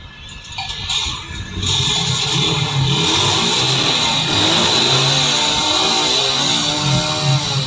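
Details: Single-cylinder motorcycle after a misfire repair: damaged coil wires were touching the magnet, and a new CDI was fitted. It revs up and down cleanly and holds an even, steady beat with no stumbles or dropouts, running normally.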